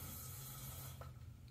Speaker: the sound is actually coming from the fill tank valve the seal in here can either get gunked up and water can seep around and the water pressure can start to kind of hiss through or the seal could just rot out